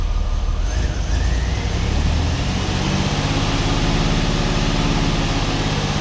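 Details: 1989 Pontiac Firebird 2.8 engine, first start after fuel pump replacement, last titled in 1991, rusty tank: loud low rumbling with uneven lumpy beat, slowly evening out; running rough but running.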